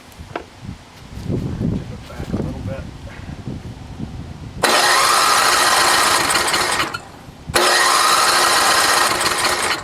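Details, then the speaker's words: NOMA 8hp snowblower in cold weather, carb rebuilt with cheap parts, fuel on, no primer: two long steady cranking bursts with no firing. Fuel starvation; nothing comes out of the needle. "bit you got a good carb for it but there's still no gas getting to it right now we've got the gas on and there's definitely not nothing coming out of the needle"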